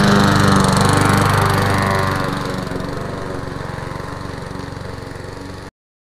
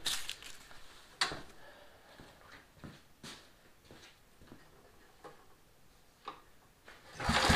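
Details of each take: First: Lawn mower test-run before sale: quick, even beat near 210 a minute, then fades smoothly; running healthy. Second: Mower, carburetor just refitted with new gasket, choke on: cranking clicks, then ragged bursts of firing that fade each time; fires a few times but won't keep running, carburetor removed again.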